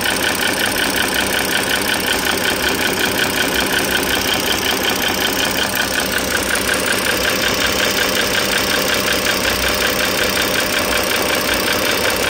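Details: 2009 Dodge Journey SXT V6 (3.5 L stated, title says 3.6 L) idling, mic near the engine: light, quick tapping about three a second that keeps pace with the engine. Owner is pretty sure it is the rocker arms/shafts, likely not pistons or transmission.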